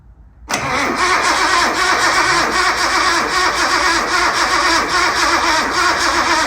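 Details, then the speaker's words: Barn-find Datsun 240Z, first start after sitting over 30 years: the engine catches abruptly and runs unevenly for a few seconds, only on starting fluid sprayed in the carbs. Spark is fine, but the fuel filter is unhooked; no-start from fuel starvation. "Well, it does pop off. So that means we're getting spark. All it needs is fuel."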